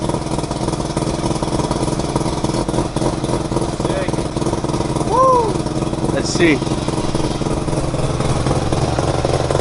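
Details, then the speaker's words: Mazda FC RX-7 with a rebuilt rotary engine, first start in 6 years. A smooth, even rotary buzz holding steady speed without hunting or popping; normal idle, O2 reading somewhat rich. "sounds [ __ ] good idling nicely O2 is kind of rich but that'll get figured out"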